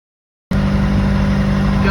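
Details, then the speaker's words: Reefer trailer refrigeration unit's diesel engine after fuel lines torn out by a flat tire were secured and rerouted: engine catches and settles into a steady even drone, no misses or knocks; running normally. "all the lines secure rerouted as you can hear the little uh gin is working so Reaper unit so that notion we did good"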